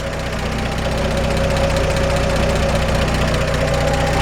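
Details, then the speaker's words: 1947 Chevrolet 3100 pickup, solid-lifter 216 six, 12-volt conversion, rebuild date unknown, idling: steady rumble with light quick even ticking, the expected solid-lifter valve clatter of a great-running engine. Normal. "It's beautiful. This is the sound we're looking for in a solid lifter 216."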